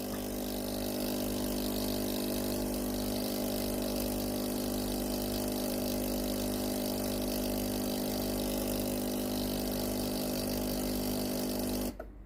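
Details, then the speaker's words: Tefal GV8950M0/23 steam iron, OK light on and controls working but no steam: steady, even electric water pump hum with fixed tone and no gurgle; pump runs but fails to feed water to the boiler. "On entend la pompe à eau fonctionner, mais l'eau ne sort pas de la chaudière quand on actionne le bouton marche/arrêt. La pompe à eau ne parvient pas à alimenter la chaudière."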